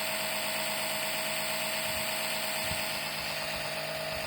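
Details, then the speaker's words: Citroën C5 X7 2.0 HDi 138 (DW10) oil change by suction with a LIDL extraction pump: steady thin high whine with hiss, no duller sucking note expected when drawing oil; pump running dry, probe not in oil. "Alors, normalement, elle devrait faire un bruit un peu plus sourd d'aspiration. Là, je remarque rien"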